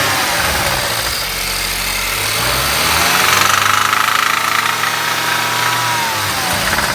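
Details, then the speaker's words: BMW E82 petrol engine that idles normally but makes noise when revved: as the revs climb and hold, a fast rattling knock rides on top and follows engine speed; crankshaft bearing knock suspected. "Короче, на холостых нормально работает. Газ дает, шумит, будем искать причину."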